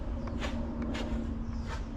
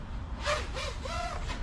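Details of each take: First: Sub-250 g 5-inch freestyle FPV quad (2Fiddy) during PID tuning with gains pushed to maximum: motors buzz and swoop through throttle punches with no odd rattles or oscillation; healthy motor sound. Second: 5-inch 250 g FPV freestyle quad (2Fiddy) in flight with PID gains raised to about 1.3: motor whine wavers and flutters rapidly, audible even at zero throttle; over-tuned PIDs.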